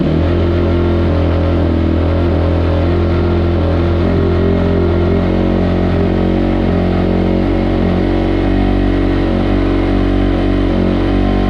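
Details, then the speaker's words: 2005 Kawasaki KX250F after rebuild with journals sanded, kick-started on choke: steady deep single-cylinder drone at fast idle; runs well on choke but dies when choke is turned off, unresolved. "but we turn the choke off and it still dies I still have to work on that but at least it's running again and it sounds a lot better so hoping we can get it figured out pretty soon"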